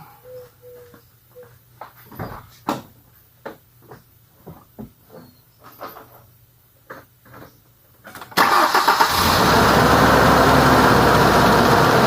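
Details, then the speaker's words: 2003 Ford Ranger after serpentine belt replacement: engine catches at once and settles into a steady, even idle with no squeal, chirp or funny noises; normal start and idle. "all to do is basically start it up and um make sure that it runs it runs properly you know it sounds smooth there's no there's no funny noises"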